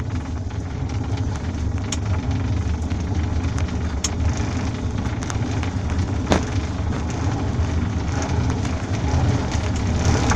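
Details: Worn pedal bearing on the default Quest SPD pedal (possibly Shimano PD-M324) of a velomobile with ISIS bottom bracket, after 6154 km of commuting: sharp clicks about every two seconds over a steady rolling rumble.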